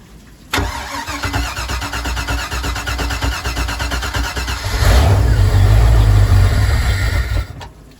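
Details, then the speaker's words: Boat engine with Holley Sniper EFI and USCG oil-pressure safety switch on fuel pump: starter churns about four seconds before catching and revving, as the pump didn't prime beforehand; momentary push-button priming switch deemed necessary after sitting. "So my conclusion is that this power wire for a momentary push button switch that I've already installed is necessary, because after the boat sits for a while, it really does need electrical check valve, so that I can prime the system before even turning the key."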